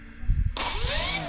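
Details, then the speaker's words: 3D-printed Nemesis flying wing with ESCs left uncalibrated: at barely-there throttle the two electric motor whines sit at different pitches, one going faster; mismatched motor speeds, suspected from the uncalibrated ESCs. "Yeah, Sounds like that one's going faster."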